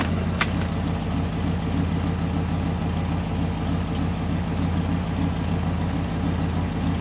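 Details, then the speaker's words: Ford Econoline van's 302 V8 at idle after replacing the bent #5 intake pushrod (van sat for years, valve possibly stuck); computer in open loop, oil burning off manifold. Even idle, only slightly rough, no more clatter on #5, faint exhaust leak puff; normal idle. "apparently i fixed it it's not clattering on the number five cylinder anymore that's good it's running on eight"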